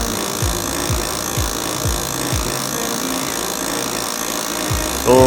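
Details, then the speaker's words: OKI B412 printer motor hums with a low rhythmic knock about twice a second, first suspected at the back gear near the fuser; the noise disappeared after replacing the toner cartridge. "यहां हमारे पास OKI printer B412 है। यह कुछ ऐसा शोर उत्पन्न करता है जिसे आप सुन सकते हैं।"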